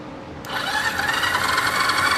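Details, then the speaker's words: 1974 Yamaha TX500 after sitting 20+ years, cranked on the electric starter with a spare battery: the starter spins the engine evenly with a whirring churn but it never fires. Crank, no start, no spark. "I have no spark. Not that I'm surprised."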